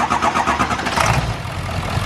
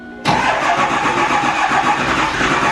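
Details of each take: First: 7.3L Powerstroke diesel that ran on four cylinders (passenger side suspected dead), started with valve cover off after wiggling harness: short crank, catches quickly into even, solid idle with no misfire; needs valve cover gasket. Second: 7.3L Powerstroke diesel, warm, started with ether: rough, lumpy clatter with uneven beat before dying; passenger-side bank not firing, running on one side, traced to faulty injector harness.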